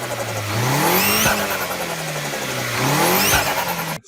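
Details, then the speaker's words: Turbocharged car engine; revs climb and drop twice, with a sharp airy chirp as the throttle closes. Blow-off valve releasing compressed intake air, working normally. "después hay otra válvula que se llama blog wolf que por ahí es más típica laboramos el otro día más que nada el vehículo creo que el nombre del evento o el bora que cuando aceleran dejan de acelerar se escucha con mucho"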